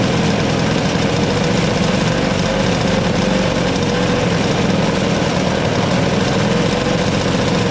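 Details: Toro CR20E single-stage two-stroke snow blower, diaphragm carburettor, choke operated by hand due to broken lever, electric starter: constant buzzy drone at steady speed, no misses or surging; running evenly.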